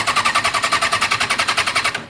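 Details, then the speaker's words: 2006 Kawasaki Ninja 636 after sitting about three weeks with a dead battery, since recharged, with two gallons of fuel in the tank; rapid clicking about ten per second for two seconds, then silence and no cranking; won't start, cause unknown. "every time I turn it on it starts up normally and then this comes on there is fuel in the gas tank I got two gallons in there I don't know if you can hear it"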